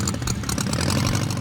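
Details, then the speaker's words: Blown, air-cooled Volkswagen engine in a custom dune buggy, heard while driving: loud, lumpy, steady pulsing rumble with crisp even firing and no knocks or misses; running healthy. "It's a very tangible experience. You're in this little shell with this roaring engine behind you and it feels like [music] a race car."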